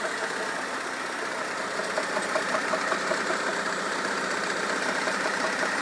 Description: Engine knocking sound in my 2004 Kia Optima with 2.4 L engine. The engine revs at 1000 rpm when it idles.